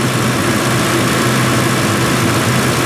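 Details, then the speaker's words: Ford 2V 4.6 V8 after new intake manifold and injector O-rings: smooth, even idle with steady low hum and faint light valve ticking, no misses, cooling fan on full, temperature 145; healthy idle. "And she's purring like a kitty. It's about as smooth as she's gonna get."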